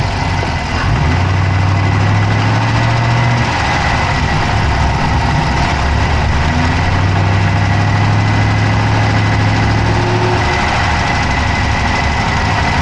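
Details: Dodge Charger Hemi V8 at idle, recorded inside the passenger-side engine bay: a steady idle with a quick, light ticking of about four per second over the rumble; a fast tick whose source is suspected but not confirmed.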